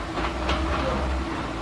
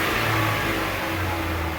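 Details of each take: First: 2015 Chevrolet Onix (Prisma) manual gearbox: quiet at idle and in first, but steady low rumble and rough churning in second through fifth gears; owner unsure whether engine or gearbox; grinding traced to gearbox running low on oil. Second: Chevrolet Onix 2015 (Prisma line), after disassembly and reassembly to fix a strange noise of unclear engine or gearbox origin: engine revs up and eases off smoothly with no whine, grind or clunk; noise resolved, normal gearbox operation.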